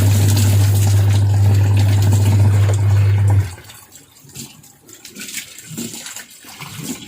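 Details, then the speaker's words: Washing machine after removing, cleaning and refitting the impeller and its rubber bushing to fix a knocking noise: steady low motor hum for about three seconds with no knocking or rattling, then it cuts out; running normally. "ไม่อัพหาพ่อทำแล้วนะจะรู้สึกว่าตัวเครื่องก็ฆ่านะครับหมุนให้ดีมากนะครับรู้สึกได้เลยครับ"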